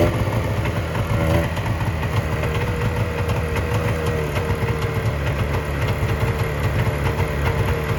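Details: 1970 Subaru Sambar pickup, off the road 40 years: after advancing ignition timing/points, small engine holds a steady, even idle with a light regular beat, no knocks or misses, running cleanly.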